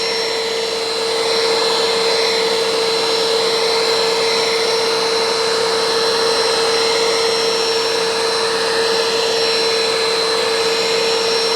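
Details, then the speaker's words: Curb-found Bissell ProHeat Essential carpet cleaner with a replacement Kenmore Intuition cord, sprays water and picks up: steady high motor whine with a fixed tone and airy rush, no bogging, plastic clicking; suction works but is weak and slow, and it leaks; cause unknown. "probably doesn't work nearly as well as it should but yeah it's it's working it is working so I hope you could hear that it's got suction it's not a it's not very fast"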